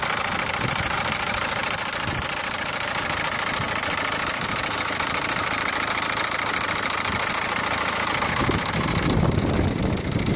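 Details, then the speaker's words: Peugeot 407 1.6 HDi diesel at idle: hard, rattling knock tapping over the steady clatter, sent by owner for diagnosis; knock at idle, source not yet identified. "عندنا هذا أخونا بعث لي فيديو متاع 407 فيها حس باش نتعاونوا عليها ونشوفوها الحس هذايا منين في المحرك، ونشوفوا نعاونوا بعضنا على أساس يعني نجموش يلقى حل لكرهبته والمحرك متاعها باش يصلحوا ولا يشوف شنو، ومش نسمعكم الحس."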